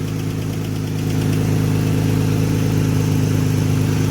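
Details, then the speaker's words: Nissan Tiida alternator conversion, after wiring swap: battery light goes off, engine stays running with steady smooth idle, idle rising slightly then holding; healthy running while charging. "So she's staying on. And the idle increase there."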